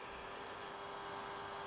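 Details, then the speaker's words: Pioneer A-P510 amplifier in standby after shorting out the main power relay: soft, steady fan whoosh runs continuously though it should only run when hot. "because the fans running all the time um I would have thought the fans only run when these get hot"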